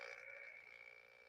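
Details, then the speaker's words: HF amateur radio receiver with a lamp dimmer switched off and on: harsh raspy buzz with steady high whistle over receiver hiss; RF interference from the light dimmer, not normally affecting VHF/UHF. "Well, that's a tough one because there's no unplugging the dimmer. That one, you're just going to have to leave it either all the way on or all the way off, and you'll be able to hear signals."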